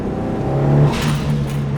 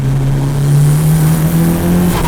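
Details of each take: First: Mitsubishi Evo turbo engine, before blow-off valve delete: revs, then a short airy whoosh as throttle shuts; stock recirculating blow-off valve venting normally. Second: Mitsubishi Evo turbo, recorder in the engine bay, airbox and intake parts muffling sound: revs rise and fall, and each throttle shut gives a short muffled fluttering rush; compressor surge flutter from a cheap blow-off block mod.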